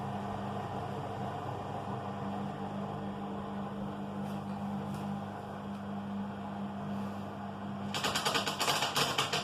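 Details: Washing machine during wash: steady low motor hum interrupted by two bursts of fast, sharp clattering lasting a few seconds, a strange intermittent rattle.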